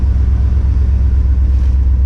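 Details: V8 idling after stuck valves were freed. Deep, even rumble with regular firing pulses and no knocks or misses; a smooth, healthy idle.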